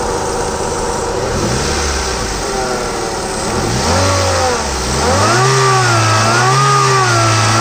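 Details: Grey Hyundai i10 Magna being blipped: whirring tones rise and fall with revs. Noise reported from the timing side and the AC compressor; exact source unclear.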